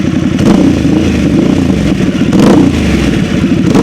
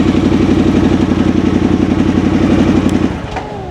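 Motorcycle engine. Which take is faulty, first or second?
second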